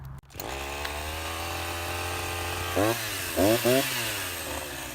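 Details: Husqvarna 353 chainsaw after gas line and chain drive repair and a slight carburetor adjustment, test cut: a steady high whine pitches down cleanly under load and recovers each time without bogging. It cuts normally.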